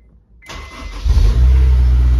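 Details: Supercharged Honda S2000 AP1 with a Walbro 255 pump, RC 750 injectors and a Link ECU: after the pump primed with the fuel top-hat plug connected, a short crank catches quickly and settles into a steady low idle. Clean start.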